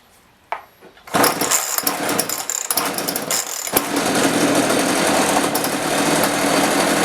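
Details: Chainsaw that wouldn't rev, after carburetor adjustment; a few pulls, then catches and settles into a steady, even buzzing run without dying or bogging; normal running.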